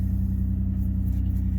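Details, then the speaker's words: 2005 Nissan Murano towed in with dash lights on that would not run well, just reassembled: starts and settles into a steady, even low idle with no knocks or misses; normal idle. "starting the engine voila it runs"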